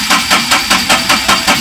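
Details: Ashok Leyland Dost BS4 diesel with Bosch EDC17 ECU: steady starter cranking at about four compression pulses a second, but the engine never fires (crank, no-start) while the sensor signal is measured at about 30 Hz during cranking.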